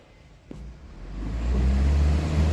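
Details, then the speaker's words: Evaporative cooler fan motor with mains phase connected directly to the black wire: a switch-on click, then a hum building into a strong steady whir; normal high-speed running. "o azul tá bem alto. Na verdade o preto, aqui é o preto. Tá bem alto."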